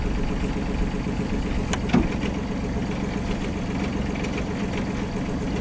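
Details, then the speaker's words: Sailboat diesel at idle with light uneven rattle while selecting forward; forward engages only after a delay (reverse works), and the rattle stops once it pops into gear with throttle raised; suspected transmission problem, possibly needing rebuild. "another thing we noticed that I didn't notice last time is that it kind of makes a I hate to use the word grinding it's not really what would you call it a rattling maybe like a rattling sound when it's in forward"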